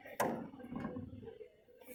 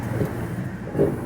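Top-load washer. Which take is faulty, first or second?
first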